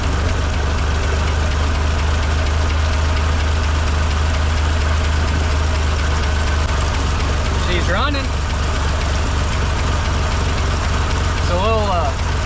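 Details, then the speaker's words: 1958 Lull telehandler (cherry picker) carbureted engine run after 15 years sitting, on mechanical fuel pump only; barely holds a rough idle with a faint knock under the exhaust; unclear if top end or lower, carburetor problems. "uh it sounds like we got a little bit of a knock and I can't tell if it's from the top end or"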